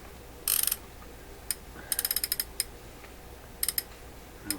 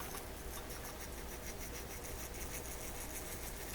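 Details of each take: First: Toshiba RC-803F clock radio, non-working digital flip clock, number mechanism turned by hand: light ratchety clicks and short gear chatter, no binding; mechanism turns freely, fault suspected in the clock motor. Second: Toshiba RC-803F digital flip clock radio's clock motor during restoration: low steady hum with a dry, scratchy rasp from a worn-out motor bearing.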